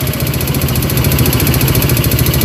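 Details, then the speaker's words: Yamaha Vega RR, kick-started, stalls often: quick even metallic ticking about eleven a second over the single-cylinder idle, loudest on the right side, sometimes disappearing; metal-on-metal, source not yet found. "kita dengarkan kreteknya ya di sebelah sini itu kenceng banget ya di ujung bagian sini itu kenceng banget kemeleteknya ini terkadang hilang ya"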